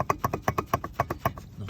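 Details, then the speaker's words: Car at 406k km, 24°C: quick metallic ringing clicks about six to seven a second from a worn intermediate shaft (jackshaft) support bearing, confirmed after ruling out suspension; driveshaft seals also leaking. "Вот такой он шум издаёт. Он прошёл 400 с лишним тысяч. делает такой вот огромный звук."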